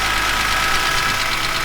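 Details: BMW E46 M3 S54B32 after new timing chains, guides and tensioner, VANOS rebuild, oil pump, rod bearings and water pump; steady, even, quiet idle with no rattle or slap; normal idle.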